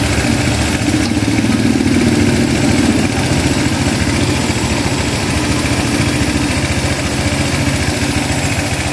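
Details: Honda Click 150i scooter that wouldn't start because of a faulty part, now repaired. It gives a steady, even putter at idle with no misses, knocks or rattles and runs smoothly.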